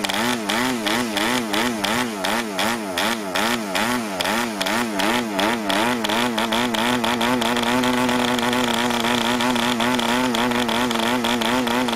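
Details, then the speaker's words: New PAW 40 model diesel on its first break-in run with the recommended break-in fuel mix and a 12x5 prop: a high buzz surging about three times a second before settling, running rich and under-compressed, though it started easily. "now [Music] oh that was rich and under compressed so i can see if i can fire it up again like that"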